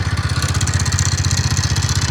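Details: TVS Ntorq BS6 scooter, about 38,000 km: at start-up and idle a rapid, even tapping knock, roughly twelve per second, rides over a rough idle; a loud engine sound problem.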